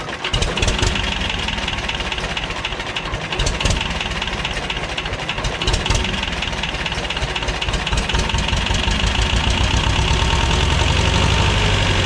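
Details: 1985 Belarus 250AS diesel tractor, revived after sitting 8–10 years: steady clatter about four beats a second, settling evenly into fast idle; normal running.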